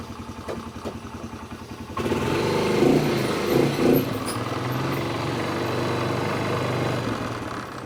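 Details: 2006 Polaris Hawkeye, warmed up, after new drive belt, riding in the yard: engine revving with loose clanking bursts as load changes from the clutch rollers; battery dead afterwards.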